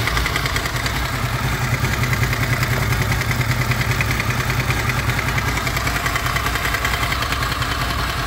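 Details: Honda VFR800 VTEC V4 at 58,200 on the clock at idle: light, regular knock two or three times a second, heard mainly on the right side from the front cylinder, cause unconfirmed, engine knock at idle.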